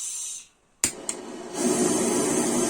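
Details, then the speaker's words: Portable gas burner tilted so liquid-phase liquefied gas reaches it: the hiss cuts out, then two sharp pops and a rougher roar as the flame flares up, a fire hazard. "the liquid phase is liquefied gas and it gets in and it pours out because of this, outbreaks occur, it is very fire hazardous"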